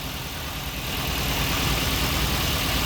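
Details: Daihatsu Gran Max, fuel-hungry and weak, new spark plugs, injector checked: slightly lumpy idle with an uneven low thump, one dead cylinder; failed ignition coil likely.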